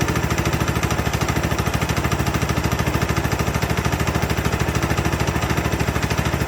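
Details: Free Craftsman LT2000 lawn tractor, parked unused about 6-8 years (last ran around 2013-2014), first start after cleaning solenoid and ignition switch connections: small single-cylinder engine running on its own with a steady, even chuffing beat about 200 per minute, firing cleanly; normal running.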